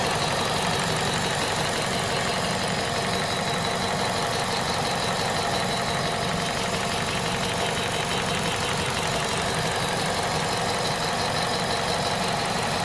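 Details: Citroën/Peugeot VTi 120 petrol engine at 98,500 km, hot at idle: a loose, uneven ticking of about three per second over a steady hum. Abnormal hot-engine noise.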